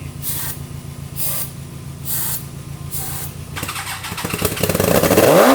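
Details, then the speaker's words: Rebuilt 300 hp turbo GSXR engine in 6x6 mini Jeep, first start on brake cleaner with weak battery: steady cranking, then crisp even brief firing with rising revs; fresh engine sounds healthy. "Oh, that was pretty good. That was quite nice. It sounds really nice."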